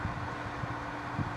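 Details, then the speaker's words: 1995 Carrier VisionAire window A/C, 6050 BTU, cleaned, near end of long test run: compressor and rear fan have cycled off, leaving only a soft steady low whoosh from the inside blower; normal blower-only operation. "it just shut off so now you can hear the difference of just the uh just the inside fan running which is what you're hearing now and the compressor and the"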